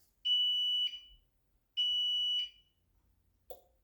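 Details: APC Back-UPS Pro 550 on battery, after a battery replacement, at the end of a runtime test: two long shrill beeps about 1.5 seconds apart warning of low battery just before it shuts itself down.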